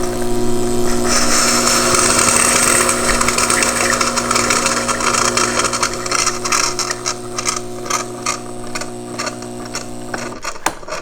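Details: Gaggia Brera espresso machine with Ulka EAP5 vibratory pump, won't brew: loud, steady strained buzz with a hard hum that never eases into normal flow. Valve showed no scale; owner also suspected gummed lines, but the pump proved bad and was replaced.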